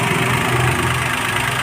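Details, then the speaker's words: CNG/petrol car that misfired and jerked on CNG with blinking check-engine light, running on CNG after repairing four partly broken wires: steady, even idle with no misses or stumbles. "गाड़ी के अंदर कोई मन नहीं है होता होगा आपको दिखाई दे रहा सरी कोई म नहीं है देखिए गाड़ी स्टार्ट है"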